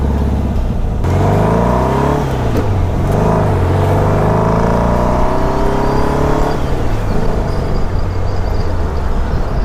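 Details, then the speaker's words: 1959 VW dune buggy, freshly rebuilt air-cooled flat-four with new 38mm carb kit, on test drive: engine note climbs smoothly through the gears and eases off without stumbling, popping or hesitation; pulls cleanly. "oh this is great it runs great now that will help him David"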